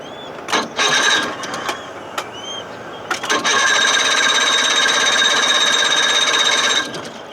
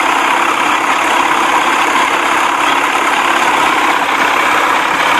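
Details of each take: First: 1979 Evinrude 55 hp outboard, cold and not warmed up: several short cranking bursts that cough without catching, then it briefly runs raspy and dies; hard starting and poor idle, possibly over-choked, cause undetermined. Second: 1979 Evinrude 55 hp outboard, warmed up and getting hot, after hesitation, poor idle and hard starting: even, steady two-stroke burble with no misses or surging; best idle of the day.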